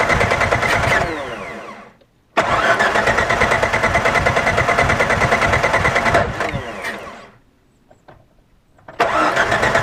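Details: 1998 Jeep TJ cranks steadily, about three turns a second, in long bursts but won't start; cause was the pickup (power) plate under the distributor cap.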